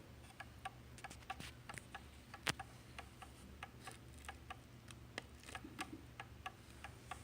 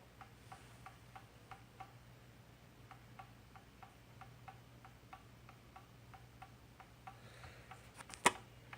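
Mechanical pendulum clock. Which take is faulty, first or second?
first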